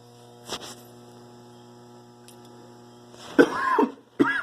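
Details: Refrigerator giving a steady low electrical hum at one even pitch throughout, broken only by nearby coughs; cause unclear. Refrigerator humming noise.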